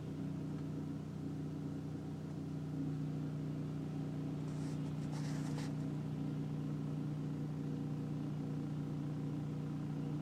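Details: 2004 BMW 325i E46 at idle or when stopped: a steady deep droning hum with vibration through the car, which stops with slight throttle.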